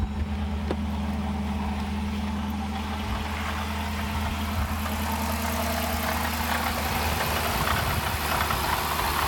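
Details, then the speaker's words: Rattling noise under the hood of a 2015 Dodge Durango RT at idle, a busy metallic rattle over the steady low engine hum; it got very loud the day before. "I'm having this rattling weird noise under my hood and yesterday it got very loud so if anybody can help that will be great"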